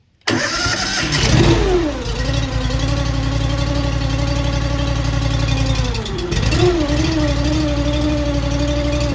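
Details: Honda iGX800 EFI engine on a Wolfe Ridge 35 SHO log splitter, after new parts were fitted; it catches within a second, revs briefly, then settles into a steady, even idle with no misses or knocks.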